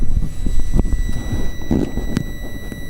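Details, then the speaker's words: Power supply for dimmed 5050 warm white LED strips: thin steady high whine around two kilohertz, a few kilohertz by ear, under bumping and handling noise; coil whine from the supply. "anyway that's it's about a few kilohertz whining noise I think but anyhow that's the circuitry for this thing"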